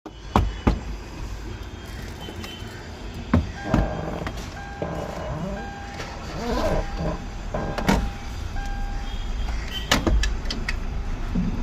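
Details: Hyundai Verna petrol engine at idle with the check engine light staying on: heavy thumps break the rhythm every few seconds. Engine misfire.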